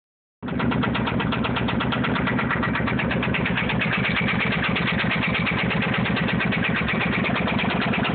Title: motorcycle ticking noise